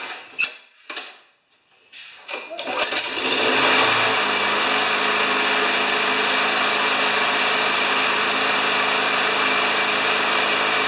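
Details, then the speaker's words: Craftsman 21-inch 6.5 HP mower after jet drilling work: pull-start catches after a few tugs, then settles into a steady, even high-pitched drone with no misses or surging; runs normally. "sounds good huh"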